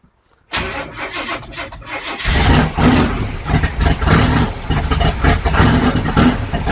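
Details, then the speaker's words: 1955 Chevy with big-block V8, first start after stalling once, running on battery: brief cranking then deep lumpy but steady idle with a few blips; runs healthy, warming up. "woo this sounds good I'll stay running little heat in the motor"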